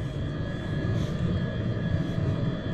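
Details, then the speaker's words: Truck diesel bunk heater after rebuild (cleaned out, new glow plug, screens, gaskets, blower motor): steady even low rumble with faint whir, no surging or sputter, no smoke; owner believes it's finally fixed. "I think we did it. I think it's finally fixed. There's no smoke."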